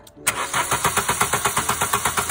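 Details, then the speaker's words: VW crank no-start: starter turns the engine evenly at about six compressions a second but it never catches. No spark; the Hall sensor signal was present, so the ignition coil was faulty, and a new coil gave an immediate start. "Motor dreht, springt nicht an. Kein Zündfunke vorhanden."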